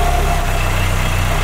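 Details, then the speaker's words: Carbureted engine restarted after coolant purge, at idle being adjusted: steady low idle with constant breathy rush of air at the crankcase breather, judged abnormal; heavy blow-by; a roller singing near the timing belt, possibly overtensioned, also noted. "je vais régler le ralenti et j'ai un souffle ici là c'est anormal oh la la"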